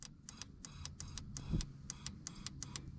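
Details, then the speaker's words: Woody wagon fuel injector removed with fuel rail pulled, bench-pulsed with a 9 volt battery on low residual rail pressure; initially clogged and silent, repeated pulsing pushed debris out; light sharp regular ticks over faint hum, now clicking and spraying normally. "i pulsed it maybe about two or three times every five seconds until i could hear the solenoid becoming more and more active and it pushed all this debris out of the injector and now it's working"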